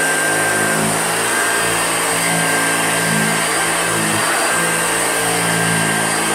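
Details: Old Hoover Junior upright vacuum, recently repaired: steady motor roar with a wavering thin squeal on top as it runs; the squeak comes from a squeaky wheel.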